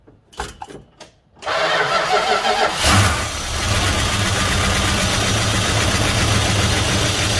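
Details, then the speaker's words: 1971 Dodge Coronet police car, 4-barrel 383 big block with new plugs, wires and oil, first start since the early 1990s on fuel poured into the carburetor: a few cranking bursts, then it catches into a rough, steady idle; it runs. "she's a runner I'll uh yes I'll maybe fill up the carpet or float bowls and uh and we'll see if we can get her to run a little bit longer"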